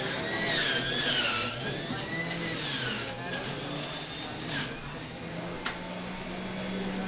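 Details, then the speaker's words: Omega juicer motor (VRT350HD, 8006 or BMJ330 demonstrated) at juicing demonstration: high whine sags and drops in pitch each time produce is pushed in, then recovers, motor bogging down under heavy load because it's really hard for the machine. "You can really hear the motor kind of bogging down when I'm pushing it in because it's really hard for the machine."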